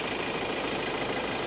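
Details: Ford Ranger XLT diesel after cooling system repair (thermostat and water pump faults found following overheating): short even idle with steady hiss on top, no irregular knocks; engine sounds healthy.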